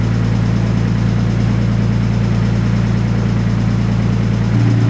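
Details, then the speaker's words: Nissan R32 with aftermarket secondhand hydraulic lifters after high-rpm abuse: a lumpy idle with a light, regular tapping over the exhaust drone, quicker than a rod knock; a failed lifter ticking, at first mistaken for rod knock. "it's liftertick one of the lifters on the car failed um now this is pretty bad i mean i honestly thought it was rodnock"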